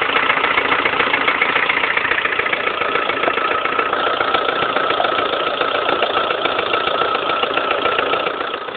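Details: Lada Kalina 1.4 16-valve, 2011, 20,000 km, idle: sharp even knocking about three to four per second, piston knock; suddenly rattled like a tractor overnight, dealer fitted pistons of a different size group, which cured it.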